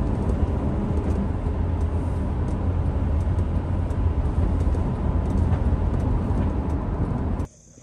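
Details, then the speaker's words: 2007 Honda CR-V on a highway test drive from inside the cabin, after replacing the rear passenger-side wheel bearing: a steady low road rumble with the earlier wind-up hum and grinding gone. "going for a little trust drive after changing up the wheel bearing so here we go shouldn't hear that uh wind up noise anymore"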